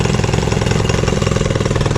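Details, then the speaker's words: Evinrude 15 hp electric-start outboard, revived after sitting a year, heard on test: brisk, even beat with steady firing and no stumbling, running properly; the customer's problems are thought to lie in the gas line. "he'll push the boat just fine I think his problems all in the gas line"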